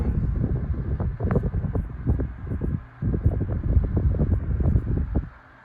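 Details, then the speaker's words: Tatung 12-inch LC-12 oscillating fan, likely 1980s, motor unopened, only blown out with compressed air and wicks oiled: soft even whoosh of air with gusty buffeting, no rattle, tick or bearing squeal, oscillating smoothly; normal. "yeah it oscillates nice and slow and smooth you don't get any of the fast jerky stuff going on"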